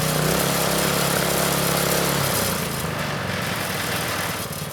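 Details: Manco Streaker vintage mini bike with Predator 212 (6.5 hp), drive disconnected, idle raised, over-revving checked: crisp even run, then speed drops smoothly, no stumbling; normal running.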